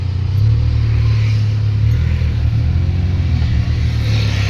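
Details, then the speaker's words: 2005 Maruti Omni driving after clutch repair (faulty cable replaced, jammed lever freed): steady low engine drone pulling evenly through first to fourth and reverse, no slipping, grinding or clunks; clutch now fully free, cruises 60–80 easily. "Clutch ನೋಡಿ, ಈಗ full free ಇದೆ ನೋಡಿ clutch. ನೋಡಿ 60, 80 ಆರಾಮಾಗಿ ಹೋಗುತ್ತೆ."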